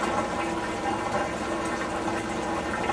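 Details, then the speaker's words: Samsung P801 washer with error E2, drain pump that had been jammed by a bobby pin, now cleared; a steady rush of water with an even pump hum and no buzzing or stalling: draining normally. "well we had success of bobby pin was what was plugging up the pump you hear the water coming out"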